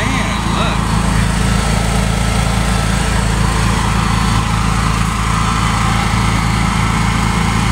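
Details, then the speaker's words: New Honda EU7000is inverter generator, first startup and break-in run: steady, even small-engine drone with no knocks, misses or surges, running cleanly. "My new Honda generator. This is going to be its maiden test. Its first startup."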